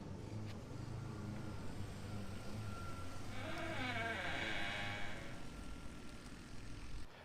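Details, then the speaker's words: 2002 Toyota Camry Solara: high wavering rubbery squeak/creak from the rear over low car rumble, caused by dry, worn rear sway bar bushings; fixed by replacing bushings and greasing with white lithium grease. "there's a creaking sound coming from the back here's a short clip of what that sounds like"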